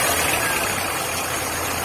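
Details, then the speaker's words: VW Gol G5 petrol engine idling steady and smooth with no squeal or chirp after replacing the noisy A/C compressor belt; noise gone. "Acabou o barulho. Acelera aí um pouquinho."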